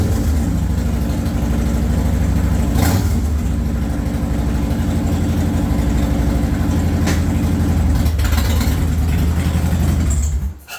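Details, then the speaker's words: 2014 Harley-Davidson Dyna Low Rider just after a fuel filter and strainer replacement, tank refilled: steady, deep loping V-twin idle with an even beat and no knocks or misses until shut off; engine healthy. "I'm going to connect the battery, put the seat on, fill it with fuel, and start it up. That sounds good."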